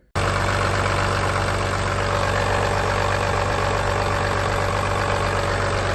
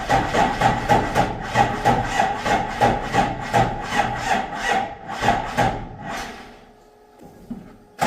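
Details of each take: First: Replacement diesel engine (P-pump Cummins swap for a Ford truck formerly running a 7.3 IDI), shown running before purchase and install: steady idle with an even low rumble and constant clatter, no misses or surging. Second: Ford with 7.3 IDI swapped for a P-pump Cummins, first test start: starter churns in even pulses about three a second for six seconds and never catches; fuel shutoff lever was left in the off position.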